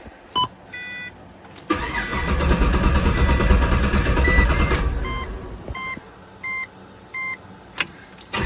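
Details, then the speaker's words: Rebuilt Pontiac GTO after fuel hose leak repair: chimes, then about three seconds of steady even cranking that never fires; no fuel pressure though pump heard, leak traced to faulty fitting, not hose. "don't start no fuel pressure H I heard the pump so it wasn't the holes it was the fitting the whole time"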